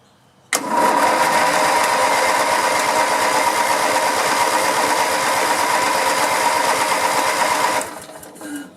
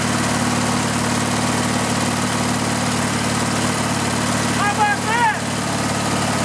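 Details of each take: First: Riding lawn mower being revived after sitting, tank nearly full, with a disconnected spark-plug wire reconnected. About seven seconds of laboured, sluggish cranking with no catch; a weak battery is suspected, not confirmed, so it is to be jump-started. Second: Riding lawn mower engine with the gas tank bypassed and fuel fed directly to the carburetor: even, steady idle with a constant low thrum, no stumbling or surging; engine fine, so the fault is a restriction in the fuel line or tank.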